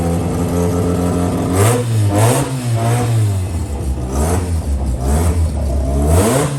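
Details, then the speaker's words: JDM Haruguchi Mazda FC RX7 rotary after storage, refilled with 98 petrol, oil, water, gearbox and diff oil, new battery: strong deep even note swelling and falling smoothly with throttle blips; runs cleanly. "Alright, so we've filled the car up with fluids, petrol, oil, some water, checked everything else, so we're going to go and try and start it now."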